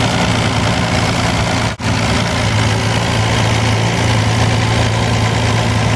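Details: Wolseley 14/56 14/60 six-cylinder engine on an engine stand after years in storage, fresh oil and filter: smooth, even low idle with a steady beat and no knocks or ticks. Bottom end quiet, good oil pressure, slow to warm because of an oversized Ford 351 cooling system. Normal idle.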